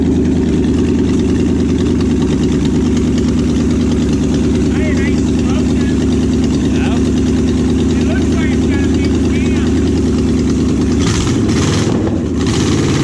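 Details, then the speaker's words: Junkyard Oldsmobile 350 V8, sat for years, running for a 1969 Cutlass and held by one bolt: loud, deep idle with an uneven, lumpy beat and heavy shaking. Rough running misfire; one side suspected not firing, cause unconfirmed. "I just feel it you see it shaking pretty bad"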